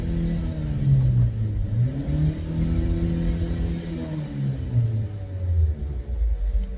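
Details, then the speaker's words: 2008 Opel Zafira B 1.8 petrol, raised front wheel spun in gear: low droning hum rising and falling with wheel speed, only on right side, absent on left, felt in steering wheel; worn front right hub bearing. "Не гудит только справа Да Точно Да да Во он прямо в руль отдаёт Спасибо сейчас я подшипник подшипник ступичный подшипник слышно звук же да"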